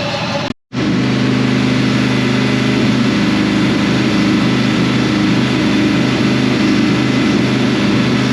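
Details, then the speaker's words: 2005 Dodge Ram 1500 4x4 with a swapped donor Hemi V8 and new fuel pump, started on ether: steady idle with an uneven stumble two to three times a second, missing on one or two cylinders; injectors suspected. "and then it started picking up on some cylinders to where it run on itself and so we've just been running it here it's still [Music] missing but at least it's idoling"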